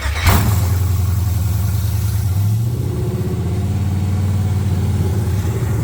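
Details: 1979 Camaro LS-swapped V8 after intake replacement (crack found on old intake), before codes were read: deep idle with uneven, lumpy beat and wavering speed; running rough, cause not yet found.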